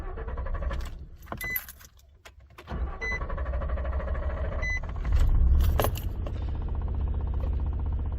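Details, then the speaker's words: 2012 Nissan Frontier started after throttle body cleaning of carbon buildup; cranks and catches with a brief stumble, then fast, slightly uneven high idle that begins smoothing; may need idle relearn. "hesitated there a little bit I might have to have the vehicle relearn the Idol which is okay but start it up it's definitely running High still but it feels like it's smoothing out a little bit"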